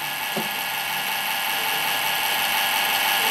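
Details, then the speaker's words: Rear case fan in an old Windows XP PC at power-on: steady high whirring hum with a rough rasping edge instead of a smooth whoosh; worn fan bearings. "The bearings are gone on that fan. Yeah, because it's in there nice and tight."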